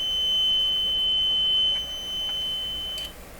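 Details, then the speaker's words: Electrohome CS400P stereo tweeter fed a very high tone from an audio signal generator: a clean, steady high pitch with no crackle or dropout; this known working tweeter performs properly. "Yeah, I can hear it. Very, very high. Yeah, this is a pretty good tweeter right here."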